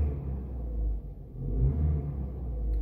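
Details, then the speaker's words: Volkswagen Jetta A4/MK4 after fixing intermittent crank-no-start: starts well, deep even engine rumble with no misses, knocks or stumbles; check-engine light cleared itself after about 10 starts and a short drive; running normally. "arranca bien ah si se dan cuenta amigos se quitó el check después de hacer unos encendidos por lo menos unos 10 encendidos después de recorrer una pequeña instancia se quitó el check por su propia cuenta"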